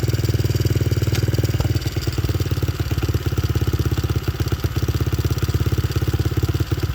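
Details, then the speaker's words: Honda XR70 with freshly installed TB 88cc big bore kit and Hotcams cam chain, started first kick: quick even thumping idle nearly three beats a second, steady pitch, nothing knocking; healthy idle. "And I'm really happy about that. It started up first kick, no problem at all."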